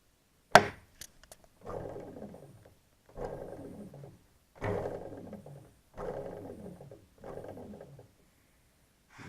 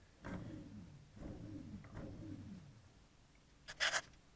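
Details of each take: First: NTM Prop Drive 28-30S 900kV brushless motor spun by hand: whirs down in short bursts with a rough clicking/grinding rattle from faulty bearings, the motor also showing wobble. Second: NTM Prop Drive 28-30S 900kV motor 3, spun by hand: three soft smooth whirs fading evenly, no clicking or grinding, very little wobble; healthy bearings, unlike the other two motors.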